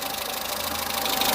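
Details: Peugeot 207 saved from scrap, fully warmed up after oil leak repair and coolant top-up, waiting for fans: fast, light, even, crisp ticking over the idle; tappets audible, not severe, owner plans to adjust them anyway.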